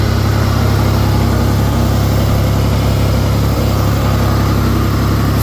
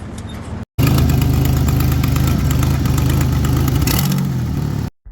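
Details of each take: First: 1989 Ford Bronco II, 2.9 V6, 5-speed manual, after replacing the exhaust manifold and gasket and drilling out a broken bolt: deep, steady idle with an even beat of about 3.5 per second and no exhaust tick; sounds healthy. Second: 1989 Ford Bronco II, 2.9 V6, 5-speed manual, before repair: loud, raspy puffing at idle with a sharp tick on every firing pulse, from an exhaust manifold leak; the manifold and gasket are to be replaced.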